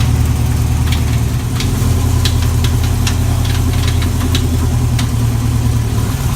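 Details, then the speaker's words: Chevy 350 V8 race car with a bad internal noise: sharp random metallic bangs over a steady idle, faint at first and getting worse. Suspected bullet or foreign object in a combustion chamber slamming against the head; the engine likely has to come apart. "Dude, there's a bullet or something in your combustion chamber and it's slamming against the head. That's what that noise is. It feels like there's something banging off."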